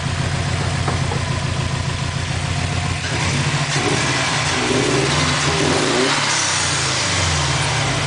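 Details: 2004 Subaru WRX just bought; computer reports all cylinders misfiring, cause unknown: idles then revs with an uneven, stumbling exhaust pulse that never smooths out; engine misfire.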